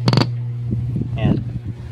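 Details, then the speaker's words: Unbranded DB built-in amplifier-speaker, new and used two weeks, owner reports distorted sound: on microphone test, a static pop then a steady low mains-type hum with no voice coming through; amp hums but passes no audio. "So wala na, ayaw na gumana. Ayan, ganyan lang yung naririnig natin. Ayun, may ugong pala. Umuugong,"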